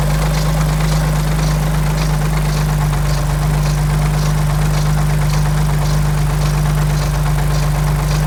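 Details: Alfa Romeo 147 GTA with 24-valve V6, first cold start of the morning: steady idle with a light, fairly even ticking near three per second over the drone from the engine front, fading as it warms; serious cold-start engine noise, cause under diagnosis.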